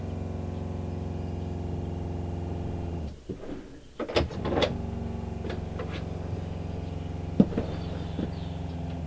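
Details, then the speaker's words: RV water pump after air bled from lines and a Shurflo accumulator tank installed against chugging and short-cycling, faucet opened, heard from bedroom: steady low droning hum, stopping and restarting, light knocks; normal pump operation. "so I'm going to go out in the kitchen and open up the faucet when the pump kicks on we can see if it's any quieter or not"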